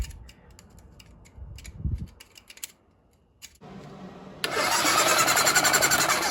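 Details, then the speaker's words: Kawasaki KZ1000 police bike after an engine swap, first start in years: a sluggish starter grind about four turns a second that never fires; weak battery and weak spark, with slight corrosion found on the pickup coils. "oh I get sparked when I turn it off sparking okay so it's just turning over not fast enough"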